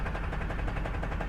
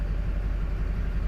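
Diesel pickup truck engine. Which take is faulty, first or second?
first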